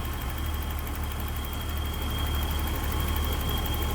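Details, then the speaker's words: 1984 BMW 325e, 2.7L inline six with a Getrag 5-speed manual, 105,000 miles, heard under the open hood: a low, smooth, even hum with a faint steady whir and no knocks or misses. It just purrs, a normal idle. "You can hear how that just purrs. Great running BMW."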